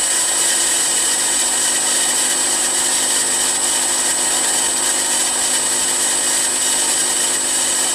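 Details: Milling machine M head after new pulley-housing bearings, VFD at 15 Hz on highest pulley speed: steady high hiss with thin whine, no knocking or grinding; pulley bearings quiet, slight motor noise remaining.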